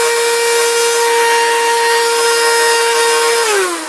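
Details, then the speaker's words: Small handheld vacuum running off the Hulkman Alpha 85's DC port: steady high-pitched whine at full speed, running very fast, then pitch drops as it spins down; the motor sounds healthy. "And vacuums actually use quite a bit of power, and so if it'll run this. Then you're doing pretty good. Hear that? It's running very fast, very high."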